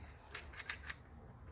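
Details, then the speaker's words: Ryobi Uproar 18V rear-wheel-drive RC truck with loose, wobbling front end despite retightening; a few quick sharp clicks over quiet motor hum as the steering solenoid chatters trying to hold straight. "you can see how much the wheels wobble right there. And I did go through and retighten everything up. That noise you're hearing is the solenoid trying to keep it straight."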